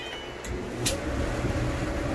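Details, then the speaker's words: Electrolux dryer starting up after the blower motor was replaced to cure a grinding noise: an even, low rumble building smoothly with no grinding or scraping; normal start-up. "so no more noise looks like it's running pretty pretty smooth"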